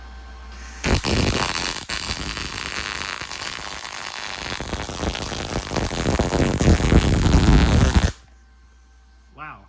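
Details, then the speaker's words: MIG welder powered from a Taramps 12k car amplifier at 120 V with the welder turned way down: a steady, unbroken crackling sizzle for about seven seconds, then a clean cutoff. A stable, healthy arc. "Oh yeah, she burns good. No problems whatsoever."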